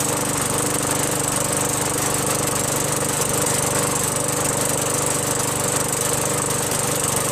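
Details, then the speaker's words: Craftsman 21" push mower, Tecumseh 5.5HP, after a quick carburetor bowl cleaning: steady, even single-cylinder beat at constant speed with no surging or misses; normal running after repair. "runs good now after a quick and dirty."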